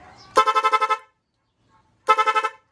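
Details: Motorcycle horn (Nipro) tested after rewiring: two strong bursts of rapid, warbling horn tone, about six quick pulses each, clean and loud. The horn works properly.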